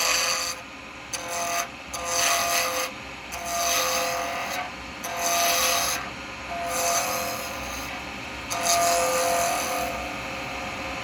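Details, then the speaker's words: Acrylic pen blank on a wood lathe at about 2500 rpm, cut with a 12mm round carbide chisel: rough rasping chatter in bursts as the square corners strike; interrupted cut until the blank turns round. "that's what we want him to get to as we're taking it down from Square obviously we get that noise but what you're wanting to get to is that where there's no noise that's what you're after"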